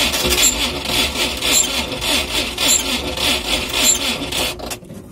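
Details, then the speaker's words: Cold UAZ engine that seized from no oil, crankshaft bearings spun: slow cranking under two turns a second with a sharp high squeak every revolution; spun crankshaft bearings. "Слышно какой-то конкретный скрип."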